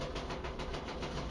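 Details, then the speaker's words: LG dryer drum turning with rhythmic rumbling thumps about seven per second; worn drum support rollers clogged with dust and hair are skipping and need replacing. "they get crap in them they get like you know dust and hair or whatever else and uh anyway they start skipping"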